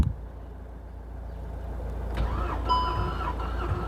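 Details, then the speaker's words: VW Golf GTI Mk6 engine during rebuild, compression test on cylinder 2 while cranking: even, steady cranking beats about three and a half per second, no stumbles; about 175 psi, normal compression (cylinder 1 read zero). "Cylinder 2 definitely. I can feel it compression. I can hear it as well."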